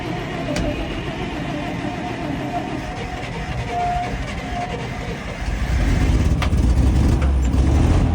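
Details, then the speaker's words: Abandoned 1951 Dodge six-cylinder, long sat, first start after new fuel pump and battery: cranks, catches and settles into a fairly steady low idle with an even firing rhythm, running cleanly. "Oh my god, it idles. Oh my god, shit's idling. It's fucking sitting here running. That old Dodge 6-cylinder is running like a fucking song, ladies and gentlemen."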